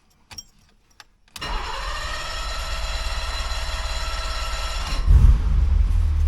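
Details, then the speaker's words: 1985 BMW 635 CSI back home after highway run at about 80: starter churns about three and a half seconds before catching; engine only starts after the key is released, cause unknown. "Well, it started, but it doesn't start until after you sort of let the key go. I wonder why."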